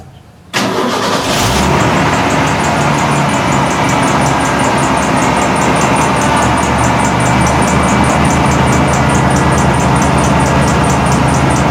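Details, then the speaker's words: 1991 Ford F150 4.9L 300 I6 at startup: a quick, high, fairly regular chirp rides over the idle from the old, possibly original, likely cracked serpentine belt, before belt replacement. "the original belt in here i don't know if it's the 30 year old original belt but it chirps and makes a bunch of noise and i'm sure it's got a lot of cracks in it"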